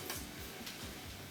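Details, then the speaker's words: Gas fireplace in on position clicks but won't light: faint igniter clicks about every half second, good spark and gas flowing, no flame. Likely dirty pilot orifice and igniter electrode; lights manually with a lighter. "still no ignition pretty good spark though and i can hear the gas flowing it wants to light"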